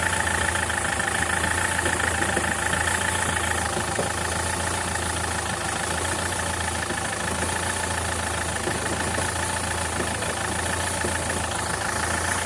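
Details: SsangYong Kyron diesel at idle: an uneven, dull knock under the clatter, roughly once every 1.5 seconds, from a worn dual-mass flywheel with excess play.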